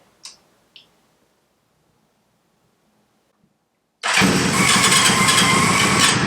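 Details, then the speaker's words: CB550 four-cylinder, long-sat project with a new battery, started stone cold on choke: it catches at once and settles into a quick, even, sweet beat. Afterwards petrol is found dripping from the overflowing number one carb. "excellent that didn't sound bad either sided nice and sweet"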